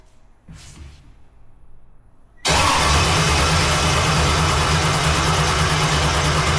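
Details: Jet boat after fitting a spare ignition box: starter churns steadily, engine never catches; spare box didn't fix it, owner next checks distributor cap for condensation, cause ultimately bad gas.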